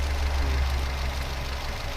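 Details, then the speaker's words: 2018 Daihatsu Terios, engine warm, on a used-car check; it was rougher before warming up: low idle with an uneven, shaky beat and the engine shaking abnormally; rough idle, valves suspected but not confirmed. "Ini agak pincang masalah ini. Tuh aja. Deder gitu. Iya. Tuh. Gitu. Harusnya enggak seperti itu sih. Goyang mesinnya memang agak sedikit tidak normal."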